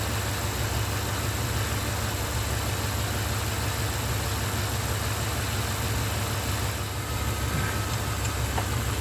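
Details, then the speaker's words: 1994 Chevy OBS V8 pickup after a distributor and ignition coil swap, while setting ignition timing with a timing light: smooth, steady, even low rumble at idle with no misses or knocks. "every time I hear that I see the timing mark where it's off about that far that sounds perfect that sounds"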